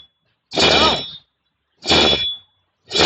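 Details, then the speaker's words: Worn wheel bearing from a Ford Ranger, spun by hand off the car with the microphone close: three short gritty, rasping bursts with a faint ring; such a bearing will make the car drone above about 60 km/h. "Então esse rolamento Ele Pode Ele Pode fazer e ele vai fazer com certeza o carro roncar certo em velocidade acima de 60 geralmente o rolamento vai roncar"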